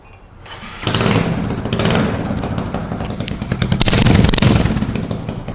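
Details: Hero Super Splendor motorcycle single-cylinder with damaged silencer bend pipe, before repair: loud uneven popping and raspy blatting over a rough idle; exhaust leak from the silencer bend pipe.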